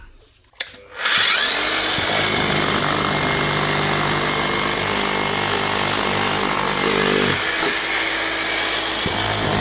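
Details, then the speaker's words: DeWalt D25810 chipping hammer after bearing replacement, tested on a block, with slightly worn gears that still mesh: rapid, steady hammering rattle with a brief dip; normal hammer action. "Sounds good. Test on the block here."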